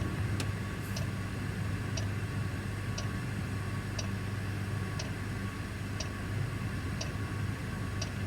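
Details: Truck parked with its engine off while the Webasto bunk heater runs: a sharp tick about once a second, perfectly regular, over a low steady rumble. The heater's fuel pump is clicking normally.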